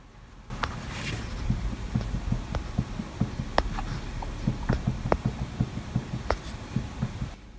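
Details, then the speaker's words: DIY CNC machine spindle, microphone brought in close: faint irregular ticking knocks, about four a second, over a low hum, with a resonance on spin-up before full speed. Owner suspects poor bearing preload; not confirmed. "okay it's developed a little bit of a knock sound so you can hear it when it spins up as well it seems to go through a bit of a resonance before it gets to full speed"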